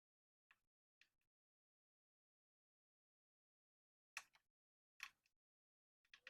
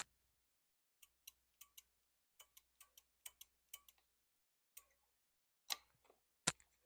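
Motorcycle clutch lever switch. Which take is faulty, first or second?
first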